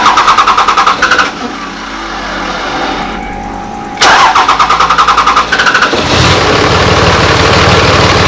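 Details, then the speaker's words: 2005 Cummins diesel pickup with new tuner, lift pump and exhaust, original injectors: catches after a stumble, dies briefly, restarts into a lumpy, uneven knocking idle; bad injector blamed, replacement planned. "the worst guys is alive tomorrow to get these injectors replace so it stopped doing this really really really obvious that the injector is bad"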